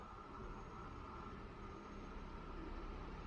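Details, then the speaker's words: 1992 Mercedes 600SEL at idle after an exhaust leak repair with new clamps, air pump not active: a quiet, even low hum with a faint steady whir from the engine bay and no puffing or ticking, exhaust now sealed. "oh yeah well that is actually quiet yes sir that is finally a quiet exhaust oh God so finally it's quiet it's the only thing you hear is something is spinning in the engine bay"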